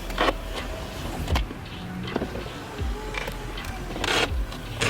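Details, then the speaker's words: BMW E46 sedan front right passenger window, before regulator replacement: motor whir with rough grinding and clunks, glass speeding up and slowing down. Failing window regulator, likely a cable ripped through a pulley. "so you can hear when you put the window down there's a grinding noise and you can see some tension build up on the window where it goes down fast and then slows down and then vice versa when the window goes back up"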